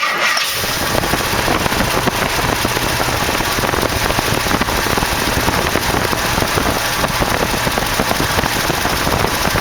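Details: 1968 AMX, original 360 Go Pack swapped to a 401 V8, first start, fuel line was kinked, carb problems: loud, rough, uneven running with ragged beat; one spark plug wire off, cylinder dead.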